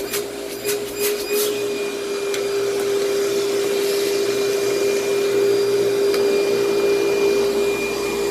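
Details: Vacuum cleaner with good belt tension and its paper bag about a third full: a steady, even motor drone with a constant whine and no rattles or surging, running well with strong suction and airflow.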